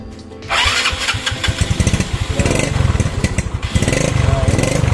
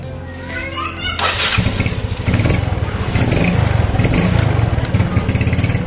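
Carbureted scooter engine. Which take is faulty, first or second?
first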